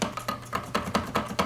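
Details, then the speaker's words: Polymoog synthesizer keyboard: keys clack loudly with a sharp hollow knock when played in succession; worn/missing key bushings, to be rebuilt. "your key bushing is actually gone for this key and as you can hear I it's just horrible noisy"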